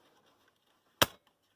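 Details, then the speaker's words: Class 50 locomotive EP (electro-pneumatic) valve by English Electric/GEC on an air test rig, switched off: one sharp pneumatic snap, then near silence with no hiss; no air leak, and pressure decays on the gauges. "again i can't hear any leaks you can see the pressure's decaying away"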